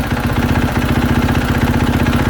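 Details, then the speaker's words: 2020 KTM 450 SX-F after replacing worn clutch dampeners that caused knocking: steady single-cylinder idle, clutch lever pulled and released with no clunks or taps; normal clutch sound. "That's how they sound normal. That's how a clutch sounds even when they're brand new. That is normal."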